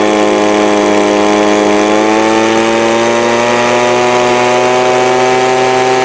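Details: Two-stroke small engine with Walbro/Zama-type carburettor, full throttle after high-speed needle adjustment: clean, steady high-pitched buzz creeping slightly higher, no stumbling or bogging; previously bogged at full throttle while idling fine, carb simply out of tune.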